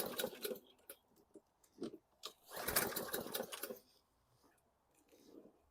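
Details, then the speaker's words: 2014 Bolens 21" mower, Briggs & Stratton 500E 140cc, new carb and recoil fitted, fresh gas, heavily primed: repeated rasping recoil pulls that never catch. Cranks, no start though it ran earlier; owner considers valve adjustment. "it started before with that carb now we don't have anything we got fuel I primed the heck out of it"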